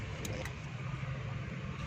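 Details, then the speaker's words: Car that dies at idle, air cleaner removed, switch on: idle cut-off solenoid (slow jet valve) gives a few sharp light clicks over low engine rumble as it is powered, showing it works; normal solenoid click. "जब दोस्तों ये ठीक होगी तो ये हल्का हल्का आवाज़ देगी। आपने स्पार्क करके आपने इस तरह आपने इसकी आवाज़ सुननी है। ये सही काम कर रही है।"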